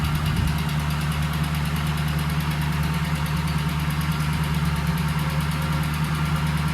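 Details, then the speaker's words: 1965 Ford Mustang coupe, supposedly a 302 engine, previously locked up, parked since 1992, first running on old fuel; steady even low idle rumble with smooth regular beat, no misses or knocks: normal idle. "It sounds pretty good for some old fuel."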